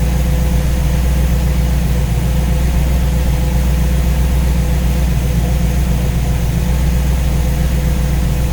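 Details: Warm V8 with newly installed Ace's Killshot EFI and Blackjack distributor, timing set at 15°, idling while radiator is topped up with water; smooth, even low burble at constant speed, no misses or ticks; judged to sound pretty good.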